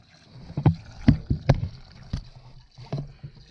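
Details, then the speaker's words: Filling the cooling system of a 2011-2019 Chevrolet Cruze 1.4 L turbo with full-strength Dexcool after replacing the water pump, thermostat housing and water outlet: irregular low, hollow gulps about twice a second as air burps out, which is expected when filling. "So you can see you'll hear it kind of gurgle."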